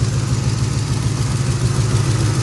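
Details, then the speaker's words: 1980 Chevy K10 during restoration, just after new transmission lines: cranks easily and settles into a deep, steady V8 rumble with an even pulse and no knocks, ticks or misses. Still warming up, coolant a little low. "this thing uh cranks up better than some fuel injected vehicles i think let's hear it listen to that easy peasy"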